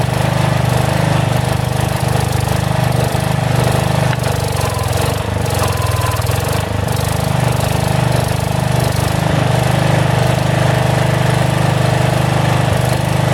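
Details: About 35-year-old log splitter refreshed with new pump, valve, filter, rebuilt cylinder and hoses, swapped-in 12HP single-cylinder engine: deep fairly steady thump with slight speed drift midway; governor hunts a little, owner suspects carburetor needs adjustment.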